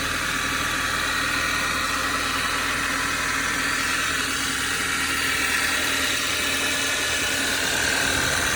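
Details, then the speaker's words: Audi 2.0 TFSI gen2 with Stage 1 Revo tune, 2013, 150,000 km, cold start at idle with engine cover removed: fast light ticking knock about three per second over steady idle; owner suspects a piston-pin-like knock, unsure. "Ну вот, ощущение, будто... У меня когда мотоциклы были, там еще и Питер, вот они в пальчики постоянно менял. И что-то вот схожий звук, как с пальчиком, что ли."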